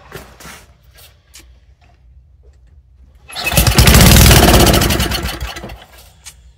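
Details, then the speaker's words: Old Toro snowblower that sat unused for over a year, pull-started in cold weather: a few quiet pulls, then it catches for about two seconds and fades; fuel pours out the side of the carburettor bowl, which needs a bowl gasket or rebuild, and it may be flooded. "It acted like it wanted to run there for a second, didn't it? Huh. We're just pouring fuel out. No, I don't have a bowl gasket for this."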